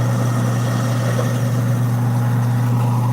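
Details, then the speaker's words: Newly installed Badger half-horsepower InSinkerator garbage disposal, switched on with the water running. Steady low motor hum with water splashing and no grinding or rattling; running properly and no leaks underneath. "That's the sound we want. Check underneath. Make sure nothing crazy is going on."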